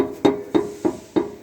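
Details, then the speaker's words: Jeep Compass rear: sharp hollow metal knocks about three per second as exhaust shakes over bumps; aftermarket tow hitch installed too close to exhaust pipe, which strikes the hitch bracket. "Fica direto esse barulho. Entendeu? Por isso aqui, pessoal, o engate na hora que ele é instalado, tem uns modelos que fica muito perto do escapamento, tá vendo aqui, ó?"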